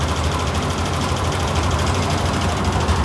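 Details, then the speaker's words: VRF air conditioner evaporator/ventilation unit: heavy, steady low rumble with a fast fluttering beat as the whole unit shakes; a loose, worn, unbalanced blower belt. "Então vou mostrar para vocês qual é o problema dele aqui pessoal defeito tá aqui ó na Correia tá vendo aqui ó olha isso aqui ó Correia frouxa certo desbalanceada o equipamento começa a tremer toda a balançar toda ali"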